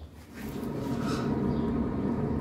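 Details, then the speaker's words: Ford car with the left rear wheel raised and spun up makes a low, rough hum that grows with speed; owner hears it on the highway around 80 km/h; worn wheel bearing growl. "a escuchar ahí se escucha bien clarito no ocupo ni siquiera llevarlo a pasear el carro porque mi cliente me dice no a 80 kilómetros se escucha que ella va le digo que ya casi despega"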